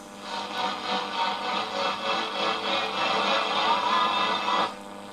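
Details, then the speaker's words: Columbus model 26P radio on an AM music station after dark: a steady whistle, wavering slightly in pitch, over the programme. Thought to be another station beating against it, which happens only at night when the layers shift. "i think it's beating with another station somewhere we don't get that happening during the day but as soon as it hits dark and the layers all shift around that station just goes to custard"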